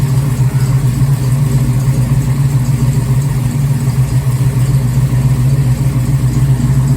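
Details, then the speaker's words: Garage-built 494 stroked 455 Pontiac V8 in a 1969 Firebird restomod, first start in nearly 20 years; deep, even burble at steady idle with no ticking, knocking or misses; normal idle. "i don't know about you but that sounds uh pretty good for a 494 beast built in the garage here at home so it's running pretty good"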